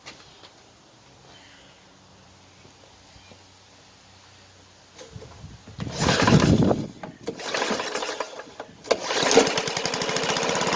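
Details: Old Snapper self-propelled push mower, first start after confirming spark and compression: after a few pulls it stumbles, catches and runs with a loud, sharp, raspy putter; exhaust sounds open, like a holed muffler, suggesting an exhaust leak.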